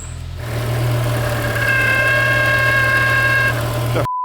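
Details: S85 V10 in a BMW E60 M5 idling on a cold day. A thin, high whirring rides over the engine hum. Accessory drive pulley bearing noise; the owner suspects the power steering pump, the clip note suggests the AC compressor pulley.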